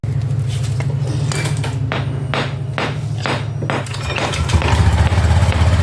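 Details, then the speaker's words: Automatic scooter started after DIY routine service and reassembly to check the installation: steady low engine burble with an even beat, plus a few knocks from handling; idles smoothly and sounds healthy. "tinggal kita ya coba hidupkan mesinnya ya teman-teman, untuk mengoreksi apakah ada yang salah dari pemasangan."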